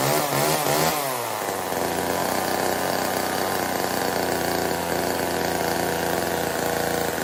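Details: Old Homelite chainsaw, owner guesses 1960s or 70s, cutting wood after reassembly: revs climb quickly, then settle into a steady high buzzing drone holding even under cut; running strong and clean, owner says tuning could improve it.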